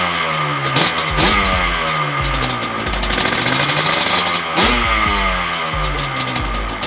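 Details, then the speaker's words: 1989 Yamaha Banshee twin two-stroke (J-arm) after full restoration with radiator and FMF pipes: crisp revs up and down twice, then even idle; runs well after replacing wire harness for no-spark, slight coolant leak suspected. "So she sounds good, y'all. That was the first thought y'all just saw."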